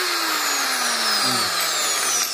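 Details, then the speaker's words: BRAVO angle grinder after repair, replacing a disintegrated rear rotor bearing whose loose balls rattled in the housing: now spins with a smooth high whine, no rattle or knocking, running properly. "совсем другое дело, потому что когда был разбит подшипник, ну, звук, ну, совсем был нехороший. И теперь совсем порядок, ничего не телепается, отдаем клиенту."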